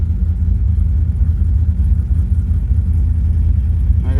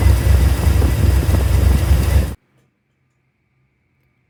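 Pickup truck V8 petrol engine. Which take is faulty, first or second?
first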